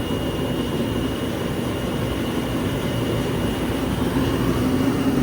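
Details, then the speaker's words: Shop heater converted to burn waste oil, running on used oil once it gets going, no smoke: steady low roar with a soft rumbling flutter that builds slightly, no popping or sputter; burner firing cleanly. "Once it gets going, it's actually great. No smoke, nothing comes out of it."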